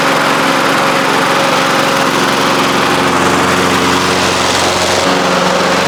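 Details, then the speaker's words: 1993 Toro Recycler II mower, Briggs engine, after long no-spark repair with replaced ignition coils and damaged flywheel, started with ether: loud even drone at constant high pitch, no stumbles or knocks; runs cleanly. "this mower has been about as frustrating a job as I've done in a long time. I can't believe it's running."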